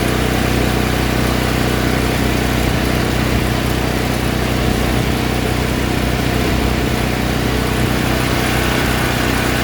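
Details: All Power APGG12000GL 12000 W dual-fuel generator after carburetor cleaning for stale gas jamming the carb solenoid: steady, even drone at constant speed, smooth firing, no misses or surging; running properly.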